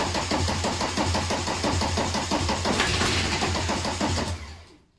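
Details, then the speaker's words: VW T25 camper with a swapped-in TDI engine, gearbox fitted: quick even cranking at about three beats a second with sharp kicks on easy-start spray, then spin-down. The starter works properly and the crank is much improved. "You know what, let's just give it a little shot of easy start. It's not going to start, but it'll kick. It'll kick like a mule."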